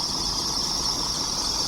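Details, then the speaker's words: Diesel truck just started while waiting to depart for the border; steady high-pitched belt squeal over the diesel running, loud enough to wake everyone, belt slipping on pulleys: belt squeal on cold start. "Remen ovozini qaranglar, hammani uyg'otadi-da."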